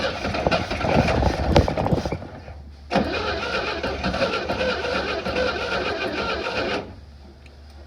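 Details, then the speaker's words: 1960 Grumman Olson van with faulty carburetor, starter fluid sprayed into the vacuum port: cranks, fires and runs raggedly about four seconds then dies; no fuel delivery from the carburetor to keep running. "okay she's trying to run but it's just not gonna run well until we get a our carburetor issue resolved but i'm going to spray some more starter fluid down in this vacuum port and just see if we can hear it pop again"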